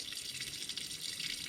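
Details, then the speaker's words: Lochinvar Shield SNR 126-065 commercial water heater, front access panel removed: steady hissing trickle with light drips as the secondary union beside the pump union leaks. The water runs over the electronics, shorting them and putting the heater out of service. "over time it starts leaking and it creates this problems that the water goes over these electronics they short them out and then your water heater is out of service"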